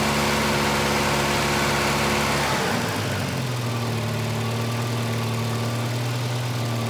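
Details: 1985 Volvo 240, LH2.2 injection (B230F-family engine): with the idle air control motor's blue/white wire grounded, the tone drops suddenly, then settles into a steady, too-high idle.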